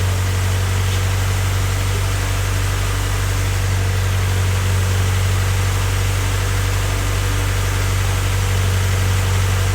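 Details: Honda Civic freshly rebuilt D16Y8 engine just after first start-up, idling before any throttle is given: steady, even idle, low constant hum, no knocking or uneven beats; smooth, healthy bottom end, normal idle.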